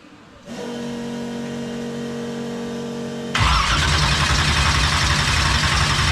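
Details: 1976 Chevy Vega drag car with a newly fitted 427 V8, restarted after the distributor was reseated on the oil pump to fix no oil pressure: electric fuel pump hum, then it catches and settles into a strong, even idle with good oil pressure. Normal idle.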